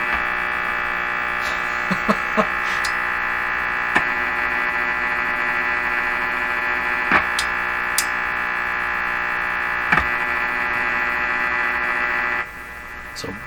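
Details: Hallicrafters S-38 four-band tube radio tuned to a quiet spot: steady buzzy hum with faint crackles and clicks through the speaker, possibly a mix of unmodulated household interference signals around 450–455 kHz in the mixer tube.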